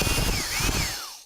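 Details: 1960s General Electric TH-30 drill, 3 A, 1/3 hp, first run after teardown and reassembly: smooth, high, steady motor whine with light gear buzz, then even spin-down on release; runs healthy.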